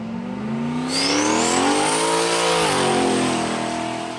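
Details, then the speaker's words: 2001 turbo Trans Am WS6 LS1 with a new air-cooled turbo, oil topped up, good tune: engine pulls up and settles with a thin rising whistle, turbo heard under load, clean spool, nothing rough. "fortunately with this car you can't really hear the turbo if it's not under load yeah you really you really can but driving around you could definitely hear the turbo"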